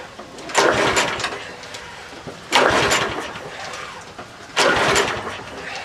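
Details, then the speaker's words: Troy-Bilt 12AV566N011 mower, free used unit with unknown history and an automatic choke, no primer: three recoil pulls, each only a brief cough; hard starting because the filthy carburettor's hanging needle valve let the bowl overflow and flood it. "this one's got no primer on it those automatic choke deals this cord little gas and I think well it balls overflowing I tapped it with a screwdriver kind of stopped"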